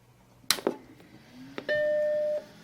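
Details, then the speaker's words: Macintosh SE power-on smoke test: a couple of switch clicks, then one clean steady startup chime held under a second; normal, healthy power-on. "Oh. Well, that was surprisingly clean."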